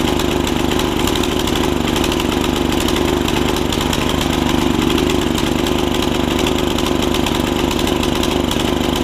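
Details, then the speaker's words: Snapper tiller with a 5hp Briggs single-cylinder engine, after a stuck valve was fixed: a lumpy, uneven chug at fast idle, running rich and unable to be leaned out. The owner wonders about a jet issue; the carb diaphragm was found torn. "running rich can't get it leaned out good enough"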